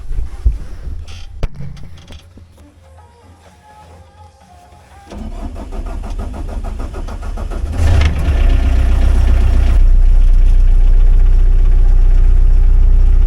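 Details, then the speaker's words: Pel Job LS2000 excavator diesel, first start after fitting a replacement Rexroth A10VO28 variable displacement pump filled with oil: short crank, catches, settles to a steady, even low idle with no load, knocks or hunting. Normal idle. "It's running smooth, and that's the first time in a long time. You can hear this engine is not working at this moment. It's completely idle."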